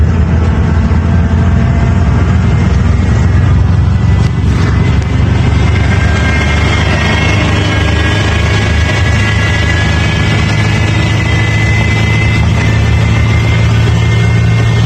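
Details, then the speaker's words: 2001 Ford 7.3 diesel truck pulling hard up a bridge: high, steady whine over a deep diesel drone, only under heavy acceleration, began while towing; exhaust leaks and boots checked; owner suspects broken turbo compressor blade or shaft play, unconfirmed. "Does it with my foot on the gas. Yeah, my guess would be either a broken blade on the compressor wheel or maybe shaft play."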